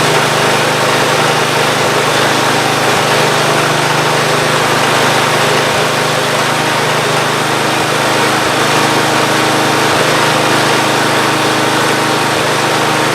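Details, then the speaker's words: Free Ariens GT14 garden tractor single-cylinder engine running smoothly and evenly, no misses or knocks, after belts, hose and hydraulic fluid were redone; earlier knocking no longer heard, hydraulics work and deck spins. Normal running. "All the hydraulics seem to work. The deck spins."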